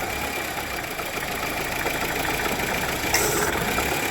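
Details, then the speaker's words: 2015 Honda Civic at idle with AC engaged, after climate control module replacement: thin constant high-pitched drag under idle; AC compressor locking up, not rotating, clutch smells burning and likely worn, needs replacing. "gosh darn it the compressor is locking up it's not trying to rotate I got to figure out what's up with that unless the clutch smell like burning"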